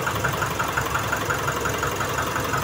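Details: Nissan NV350 diesel van after repair, following injector complaints, a smoking problem and a knocking sound: steady idle with an even light tick and no deep knock; engine sounds healthy.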